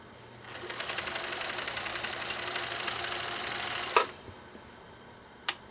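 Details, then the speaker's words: 1962 Husqvarna Viking 19E Special, sewing eight layers of US Army canvas snug under the presser foot: quick, steady needle clatter about four stitches a second, no labouring or stalling; normal sewing under heavy load. "I think we sewed it it kind of got it done a little bit too easy"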